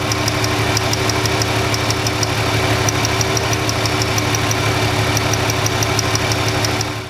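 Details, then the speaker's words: Ford Freestyle 3.0 V6 with cylinder 1 misfire and no codes, at idle: sharp regular ticking snaps about three per second as spark arcs to ground through the cracked cylinder 1 ignition coil housing. "You can hear it arcing, but you can see it jumps that little air gap. As soon as I move away a little bit, it no longer jumps. But I hear it arcing somewhere, and it's, ooh, there it is."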